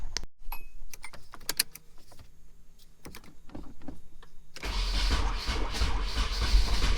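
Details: 1994 Nissan 240SX convertible with fresh oil, first start attempt with the firing order wired wrong from an incorrect diagram: cranking brings scattered pops and stumbles, then a ragged catch that never settles.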